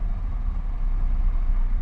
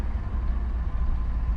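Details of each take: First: Mitsubishi Lancer with a high idle of about 2000 rpm, brought down to 900–1000 rpm by pulling the gas pedal back: low, even engine hum with no surging; owner suspects a sticking throttle body or throttle cable. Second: Mitsubishi Lancer stopped at a stop sign: smooth, deep hum held at about 2,000 RPM with no hunting; high idle that drops when the gas pedal is pulled back. Idle control valve and throttle body checked without a fix.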